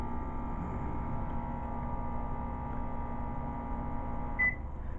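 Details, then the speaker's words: PowerBright 1100 W (2200 W peak) 12 V DC-to-AC inverter on charged batteries running a microwave: steady low hum with a faint buzzy tone and a beep; the microwave runs but very weakly, the small inverter can't handle the draw. "this little one will power this and you can tell yes it powers it but it's very low has a very very very bad draw"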